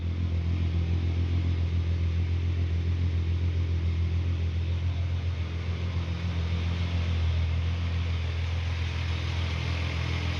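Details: Volkswagen Golf MK3 VR6 after new silicone coolant hoses, an oil cooler leak repair and an oil change, idling while warming up to bleed air from the cooling system; deep, even drone, no ticks, knocks or stumbles; normal idle.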